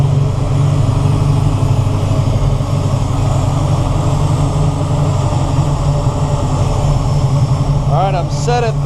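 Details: 1969 Camaro with FiTech EFI timing control, MSD 6AL box, MSD Pro Billet locked-out distributor: deep, steady V8 burble at an even idle with no misses, knocks or stumbles; running smoothly.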